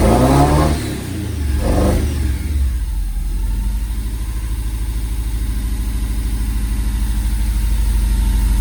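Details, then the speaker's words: Ford prototype Corsair GT with fuel-injected Essex V4, first start in 1.5 years on a freezing-cold day: cranks and catches, then a lumpy cold idle with an occasional stumble, a slight misfire expected to clear when warmer. "got a little bit of a mire it is freezing cold"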